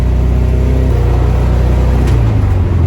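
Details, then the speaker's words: VW Type 3 notchback, driven under load at freeway-type speeds on a back road, gives a deep rumble that shifts pitch smoothly with no popping or stumbling; normal acceleration, sounds strong. "Man, it sounds so good. There's no way I said it perfectly right from the beginning, right? Oh, this sounds so good."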